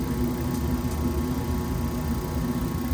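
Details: Gas furnace after cleaning dirty burners, igniter and flame sensor that let burners light then go out: steady low roar of lit burners with faint hum, no flicker or dropout; now firing normally.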